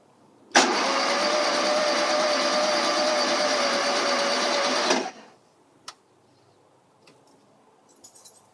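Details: 1971 VW Super Beetle: the starter turns the engine over at a steady, even rate for about four seconds, then stops without firing; cranks but won't start, and the owner suspects low compression.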